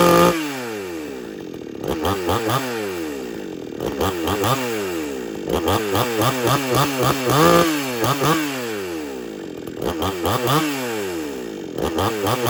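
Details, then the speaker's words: XtremepowerUS 6200 62cc two-stroke chainsaw with 20-inch bar and chain, phone set down nearby, needs no primer bulb for cold starts: revs up and drops to idle several times, smooth with a crisp, even exhaust note, no stumbling; normal running. "But it does run real good."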